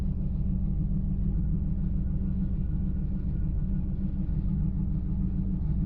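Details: LS1 V8 at idle: deep rumble with an uneven, stumbling pulse roughly twice a second instead of a smooth beat; engine misfire.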